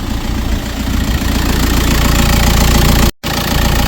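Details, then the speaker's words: 2010 VW Caddy 2.0 SDI diesel after first start, low on fuel, idling up to temperature to bleed the coolant system: steady low even diesel clatter holding speed without stumbling; normal diesel idle. "So she's a runner. Got it running up now, running it up to temp so I can bleed the coolant system."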